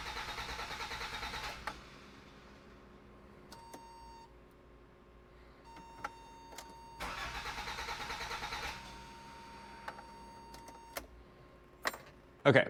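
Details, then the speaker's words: 1986 Toyota MR2 AW11, engine stopped running after last season. Two bursts of starter cranking, each about 1.5 seconds, with no firing: cranks but won't start. Owner suspects something unplugged or a missed signal; cruise control speed sensor is unplugged. "so now it's cranking but not kicking over. And I feel like it's probably something that's not plugged in. Just a signal is getting missed somewhere."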